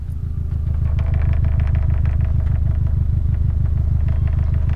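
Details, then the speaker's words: 2001 Subaru Legacy Blitzen twin-turbo EJ20 sedan, 5-speed, 98,000 km, aftermarket exhaust, already-warm engine at idle: steady boxer rumble with a light quick clatter in time with the exhaust pulses; the bumper rattles and stops when held. "bumpers rattling a little bit as if you hold it here it stops rattling"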